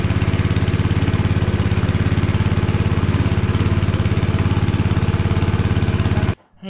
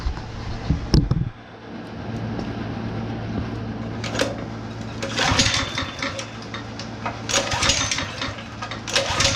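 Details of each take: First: Honda GX160 5.5HP on a concrete power trowel, unused for years and abused; first run after cleaning the plug. Even, steady beat at about 2.5 firings per second, no misses, then shuts off cleanly. Runs normally; throttle cable still faulty. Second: Honda GX160 5.5HP on long-idle, abused concrete power trowel, switch on, choke open, starting fluid sprayed in: repeated recoil pulls rasp but engine never fires; no start, suspected carburetor issue.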